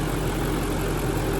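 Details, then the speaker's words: BMW E39 540i V8 (6-speed) idling in neutral after new timing chains and guides, a full reseal and a Vanos reseal with the Bijan kit: smooth, even low rumble with no chain or Vanos ticking, only a slight belt squeak noted; healthy idle. "really any abnormal noises. Vanos is nice and quiet. Timing chains sound good."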